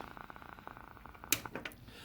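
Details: Harley-Davidson radio audio amplifier, part number 76192-98, on bench: fast steady ticking from the speaker, around a dozen clicks a second, then sharper pops; amplifier clicking fault, cause not confirmed.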